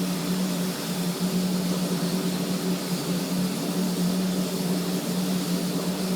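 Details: Hubler Dromader G-10 turboprop just after start, about 380 degrees EGT; steady, even turbine roar with constant low drone, no surging or roughness: normal running.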